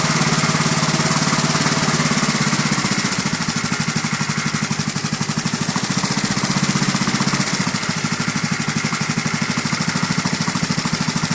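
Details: Briggs & Stratton 31Q777-0215E1 single-cylinder lawn tractor engine after repairing a dropped valve seat and no-compression/overheating, valve clearances set to .005 in, battery a little low; catches and settles into a steady, even thumping run with no knocks or misses, healthy.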